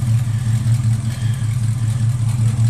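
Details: 1968 Ford Mustang, rebuilt 302 V8, Edelbrock 500cfm carb, headers, Cherry Bomb Vortex dual exhaust, cold day; deep burbling exhaust swells and eases in smooth even pulses while blipped, no misses or knocks.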